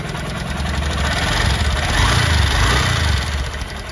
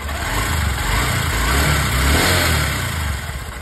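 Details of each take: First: Honda SP 125 BS6 motorcycle at idle: quick light ticking, about three or four per second, on the single-cylinder beat; mechanic first suspected a loose timing chain but found excessive tappet clearance, mainly the exhaust valve, fixed by adjustment. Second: Honda SP 125 BS6 single-cylinder motorcycle after tappet clearance adjustment with a feeler gauge to cure a ticking noise from loose tappets: steady, even idle with a smooth beat and no top-end clatter; normal idle after repair.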